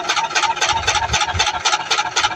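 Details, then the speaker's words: LG inverter washing machine, drum speeding up in spin: rhythmic scraping rasp about four per second tracking drum rotation; motor and gearbox area clear, foreign object confirmed inside the drum. "drum dah mula laju. Okey confirm ada benda something kat dalam ni."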